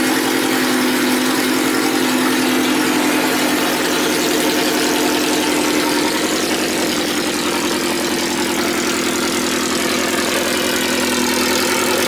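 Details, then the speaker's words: Race car idling after a fresh rebuilt cylinder head (new valves, valve seals, keepers) and a valve adjustment, following months of repair after breaking it: loud raspy idle, fairly even pulse, no knocking, sounds healthy. "New cylinder head package, new valves, new valve seals, new keepers, and yeah. So the head's fresh. Sounds good. Sounds healthy."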